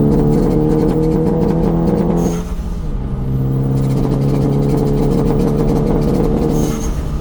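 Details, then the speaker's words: 2014 Hyundai Veloster Turbo after new ignition coils replaced the bad coils causing a misfire: steady, even engine note that dips and picks back up cleanly with no stumble or miss. Running much better. "The car seems to be running much better."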